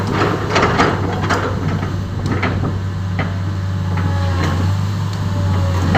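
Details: Komatsu PC10-8N1 small diesel after engine controller replacement fixed a no-start: steady low drumming run with light rhythmic clatter, no misses or surging; normal running.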